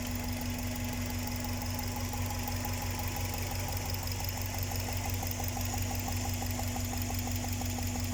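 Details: Subaru EJ207 (EJ series) engine at idle with a steady light top-end tapping, about three per second; likely improperly torqued or loosened spark plugs (suspected, not confirmed), not big end rod knock.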